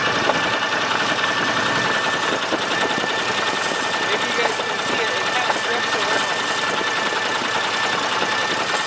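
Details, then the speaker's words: Argo ATV engine at 471 hours with fast ticking and knocking over a thin, uneven idle. It runs like garbage; bearings are called shot and the owner suspects a lot of lost compression. Cause not confirmed; a replacement engine is planned. "that's probably another reason why it kind of runs like garbage is i'm sure it's losing a lot of now compression"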